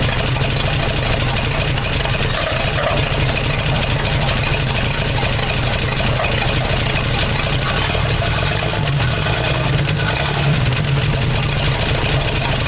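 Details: 1975 Dodge D100 Slant 6, open exhaust, misfiring while timing is advanced: uneven loping idle with irregular pops and stumbles; owner suspects a burned valve or leak sucking air, and distributor one tooth off. Rough idle with popping.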